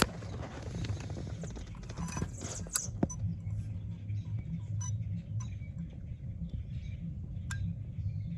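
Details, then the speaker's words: VW CJAA TDI diesel idling with a low hum during an output test of the exhaust pressure control valve: the actuator clicks sharply now and then, straining against a very sticky valve that ultimately needed replacement. "so you can hear it inside here trying to do something but this is stuck"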